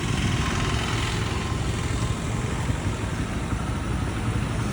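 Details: Honda CD100 SS after full strip-down restoration, road test ride: steady, even single-cylinder drone under way, no knocks or rattles; restored bike running healthily.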